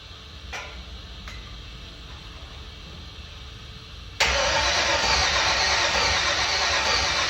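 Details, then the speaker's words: Cranking with no start on a 50-year-old five-window truck: quick even cranking that never catches, with fuel pressure (about 60 psi) and spark both present. The cause is unknown, so raw fuel is to be fed into the intake. "Okay, we're gonna level with y'all. We have not a single clue. We have fuel pressure, we have spark, we should have air, of course, going right in it."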